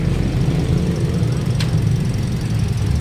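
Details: Toyota Vios dual VVT-i idling after repair of a weak oil pump and clogged oil pump strainer, following a long run and road test: smooth, low, even hum with no top-end rattle or ticking, and the oil warning light no longer comes on.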